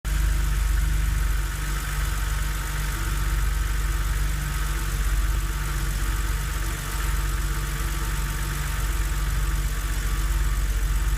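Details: BMW Z4 3.0si straight-six on a cold start at idle: a loud, fast knocking through the low rumble that disappears after about 15 minutes of driving.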